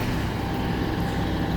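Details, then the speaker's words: Miller 602 welding machine after repair: steady low hum without the earlier vibration noise, fixed by replacing the running capacitor and securing it with wire; normal running. "Nawala na yung ingay dahil yung ingay kanina yung vibration para dito."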